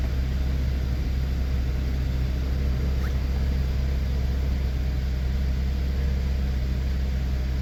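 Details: 2013 Cadillac SRX 3.6L after new spark plugs, coils and gaskets: steady low rumble with an even, smooth beat and no knocks, misses or whine; clean, healthy idle.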